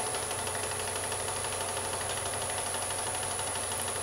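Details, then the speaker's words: Wood lathe: sharpened spindle gouge truing a rough-turned hollow form's spigot area that runs slightly out of true; fast even knocking of tool on wood with thin whine, slightly out of balance, knocking fades once a clean cut is established. "now you can tell by the sound of my tool on the wood that it's just a little bit out of balance although it's not too bad and you can really tell when I start getting a nice Cut in here that it does get shwed up and you won't hear that knocking on the wood anymore"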